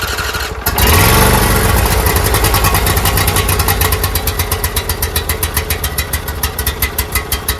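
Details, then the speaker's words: Toro Z-Master with Briggs V-twin carburetor engine, converted from Kohler EFI wiring harness, first start attempt at half throttle: long steady crank with even chugging, about five pulses a second, never catching while fuel primes to the carburetor. "All right, so I'm going to crank this. It's going to take a while for the um fuel to prime through the lines into the carburetor."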